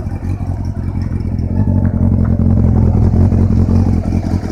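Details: Honda CB400 VTEC engine: steady running with a rapid, regular knock riding over the low engine note; knock present, source not pinned down.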